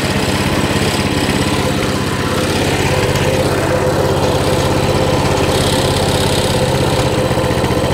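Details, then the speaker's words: Mini bike (tagged Coleman CT200) with a non-adjustable carb, idle lowered from about 1900 to 1750 rpm to stop it taking off, throttle return spring not yet attached: steady, even single-cylinder putter, no hunting; normal idle. "that sounds better 17 30. on the money 17.50 it's sitting right at 17.50"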